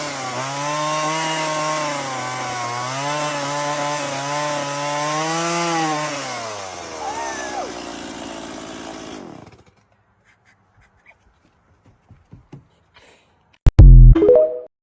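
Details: STIHL MS170 chainsaw, previously bogging, after carburetor cleaning and raising a bent spring-loaded carburetor lever slightly: revs up and down smoothly while cutting, picks up cleanly without bogging, then shuts off; running properly.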